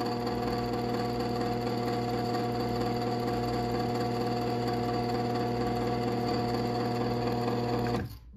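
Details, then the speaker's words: Genie Pro screw-drive garage door opener CM7600IC/A, 1/3 hp, motor freed: quiet steady drive hum with a light buzzing rattle from a loose mounting bolt that won't tighten. "there is a little bit of noise coming from this bolt uh it won't tighten anymore so it's kind of loose um so yeah that noise is just the bolt vibrating"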